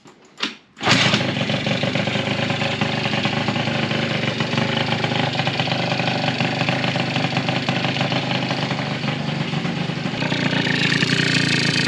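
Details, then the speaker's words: Yamaha Zuma prebug two-stroke scooter, fresh 70cc Stage6 big bore kit and Polini crank being broken in, barely warm, carb not yet tuned: steady crackly, slightly sharp raspy drone with even revs; running a tad lean. "Running a tad lean, as you can hear."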